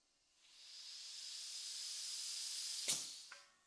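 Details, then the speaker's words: Steady sharp hiss of air escaping as fast as it's pumped in, then a soft knock, on a Honda XR50's small tire; owner suspects the inner tube has a hole. Air leak, cause not confirmed. "I think the chances are pretty high that the tube's got a hole in it."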